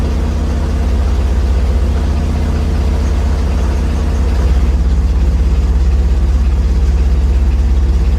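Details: 1963 Corvair with intermittent total power loss, idling in drive: a heavy low throb pulses about twice a second, mostly gone in neutral; something loading or shaking the engine, cause unknown.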